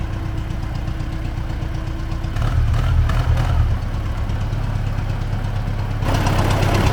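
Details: T-40AM tractor diesel in about -14°C after a month standing, heading out to test the differential lock; engine picks up briefly then settles, uneven knock near three per second persists, engine knock, cause unknown.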